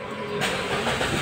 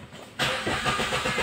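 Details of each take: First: Kia Picanto, manual, after replacing the crankshaft position sensor that caused long hard starting: brief crank, catches on one click and settles into a smooth idle; clean, healthy start. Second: Kia Picanto, manual transmission, hard start that owner says is new: long cranking with even rapid starter beat and no clean catch; scanner shows code 335 crankshaft position sensor circuit.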